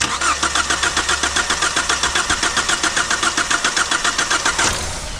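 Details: 2002 Kia Sportage, long sitting, new battery, brake cleaner sprayed in: steady starter cranking about four beats a second with faint firing attempts that never catch; has spark, but fuel pump won't kick on, crank no start.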